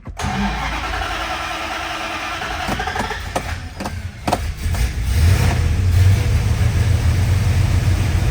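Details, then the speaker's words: 1967 Plymouth Satellite big-block V8 starting. The starter catches and it settles into a deep, loping idle with no knocks or ticks; it sounds healthy and wants to run. "Boy, what a nice sounding ride. That big block wants to get up and run, that's for sure."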